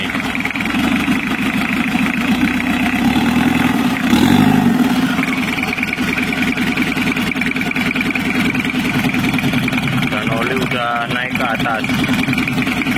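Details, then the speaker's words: 1982 Toyota Hiace LH11 2200cc diesel with newly fitted turbo, first start after restoration, not yet warm (38.4°C, thermostat closed): diesel clatter at idle with a thin, wavering high whistle that never steadies; turbo sounds rough and uneven, to be fixed later. "suara turbonya kurang halus kurang jangkrik nanti kita akan perbaiki ya"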